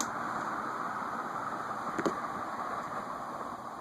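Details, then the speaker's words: Envirofan Gold Line 36" industrial ceiling fan model 136F, 2012, switched off from high and coasting down in reverse: smooth, even air whoosh tapering gently with no rubbing, ticking or wobble; healthy coast-down. "And we'll spin it down in reverse."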